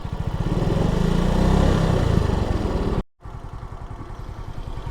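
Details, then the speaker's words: 2025 Suzuki Smash motorcycle at about 5,900 km after an oil change: even putter at idle with a steady low beat and no ticking on top, then a brief cut; the early tick has gone and the idle is healthy. "Mawawala rin yung guys, yung konting lagitik na naririnig ninyo, Actually wala na talaga wala na akong naririnig."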